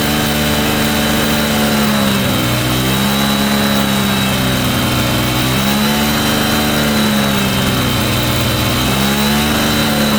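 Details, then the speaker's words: Cheap Yamaha motorbike after carburettor and fuel line clean, running on its own fuel with the air filter off: the idle rises and sags every couple of seconds, fluctuating from an air leak on a vacuum line. "I need to Tinker with a vacuum line just there because it is leaking a little bit of air which causes the idle to sort of fluctuate a bit"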